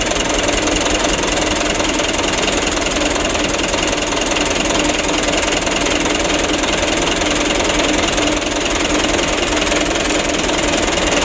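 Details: 2008 Mitsubishi Canter 125 diesel truck, previously shaking, long cranking and low power, after intake work and engine tuning at night: steady even diesel clatter at idle, no misses; normal, smooth idle.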